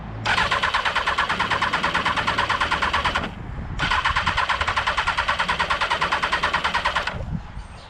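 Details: Motorcycle stood covered for a month: two bursts of fast, even starter cranking, about three seconds each, with no firing; owner suspects it needs choke, later appears flooded, cause not confirmed.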